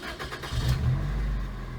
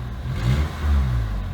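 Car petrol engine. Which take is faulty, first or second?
second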